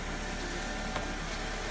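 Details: 2002 Alfa Romeo 147 2.0 Twin Spark after replacing an internally intermittent ignition coil: smooth, even idle with a steady low hum and no stumbles or dropouts, "purring like a kitten"; misfire fixed, normal idle.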